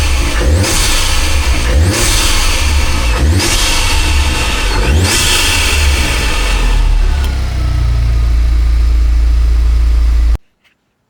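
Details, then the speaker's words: Rebuilt crash-damaged salvage Audi S3, started after rebuild: four sharp blips rise and fall cleanly, then a steady low idle; revs freely and sounds healthy. "You know what? That sounded absolutely mega. I didn't expect it to sound that good."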